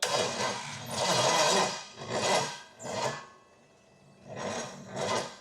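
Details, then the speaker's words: Cheaper Pontiac 455 V8, which had water in a cylinder, with plugs done, an extra battery added and a jump pack: a slow, labouring starter surging about once a second, a nearly cooked starter, and no firing. Cranks but won't start; spark check planned. "But this is kind of last shot to get this thing running. I think we just about cooked our starter. So here we go."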